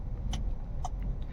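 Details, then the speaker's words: Hyundai Verna that had cylinder 4 misfire (P0300/P0304) and RPM fluctuation, after spark plug fix: just started, quiet even idle with AC on, RPM now stable, check engine light gone. "Engine सिर्फ start किया है और RPM जो fluctuate हो रहा था वह RPM fluctuate नहीं हो रहा है बराबर स्टेबल है"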